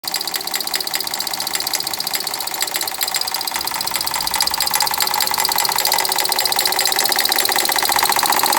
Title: 2012 Ford Fiesta knocking sound (water pump & belt already replaced) 02/07/2020